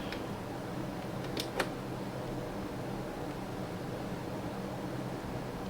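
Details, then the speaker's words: JVC L-A100 turntable converted to direct-drive servo with parts from a broken QL-A200, running at 45 RPM with quartz lock indicator showing up to speed; faint steady hum, light clicks, no wobble or speed hunting; normal running. "Okay, it seems to be right. That indicator tells me whether or not it's up to speed."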